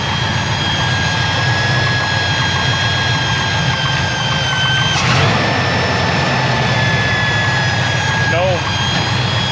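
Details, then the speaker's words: 454 big block in a square body Chevy dually, just fitted with an Edelbrock 1411 750cfm electric-choke carb, idling after starting fluid: steady V8 rumble with a thin constant whistling howl. Owner suspects a vacuum leak, source unknown. "titling sounds like i got a vacuum leak anyway"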